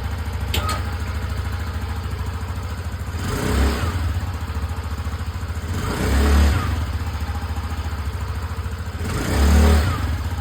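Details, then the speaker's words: TVS Callisto scooter after fix of bad stuttering, ticking and stalling: even idle and three clean throttle blips rising and settling smoothly, no stumble; cause was a dirty fuel pump (owner suspects bad Pertalite fuel), cleaned rather than replaced. "Nah, alhamdulillah ternyata motor Kalisto saya sudah lancar."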